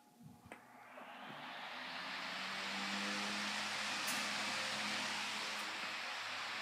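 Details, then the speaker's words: Sunbeam 5-speed stand fan run on high for the first time: spins up over about three seconds to a smooth, even rush of air with low motor hum and no rattle; normal operation. "Anyways, let's fire it up on high and see what it does."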